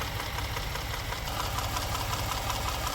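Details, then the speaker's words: 2018 Ford F150 EcoBoost, low coolant, overdue oil change, no codes: light quick tick about three a second over steady idle from one side of the top end; rocker or lifter suspected, purge valve doubted. "So just idling here, you hear that? Tap, tap, tap, tap. It almost sounds like a purge valve, but I don't think so. I think that might be a rocker or a lifter or something like that."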